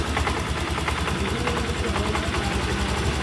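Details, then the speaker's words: BS6 scooter with hard self-start from low idle (spec about 1400–1500 rpm via OBD): quick steady slightly lumpy idle while idle is raised by turning throttle-body air screw anticlockwise; idle speed adjustment. "Opposite rotate ಮಾಡಿದಾಗ idling rice ಆಗುತ್ತೆ. Start ಮಾಡಪ್ಪ ಈಗ. ಇಲ್ಲಿ ನೋಡಿ ಪರ್ಫೆಕ್ಟಾಗಿ start ಆಯ್ತು. ಇವಾಗ ಇದನ್ನು ಐಡ್ಲಿಂಗ್ ರೈಸ್ ಮಾಡ್ತಾ ಇದ್ದೀನಿ ನಾನು."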